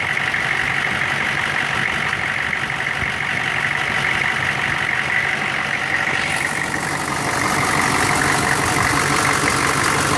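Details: 1999 Chevy 6.5 diesel truck at idle with a bad fuel injection pump, owner noting an odd link to the AC electrical circuit or engine load: rough, uneven hollow clatter that loses rhythm and shifts tone midway; fixed by replacing the pump.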